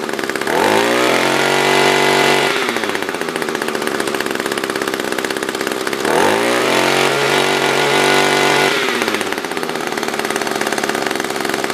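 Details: Echo SRM-210 trimmer after repair (new carb, fuel filter, plug, fresh gas, handle), tank refilled: two crisp revs climbing smoothly and dropping cleanly to steady idle; normal idle and revving.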